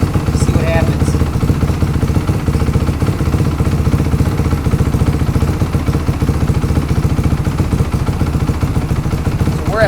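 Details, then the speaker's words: 4-stroke MX motorcycle with FCR carburetor, adjustable fuel screw turned in from 2 turns out toward fully in (leaner): thumping idle drops, grows uneven and slower, then dies when fully in; lean idle stumble, pilot jet judged maybe a hair rich. "You notice it's dropping a little bit. Okay, now it's starting to see, and now it's all the way in, and it just died."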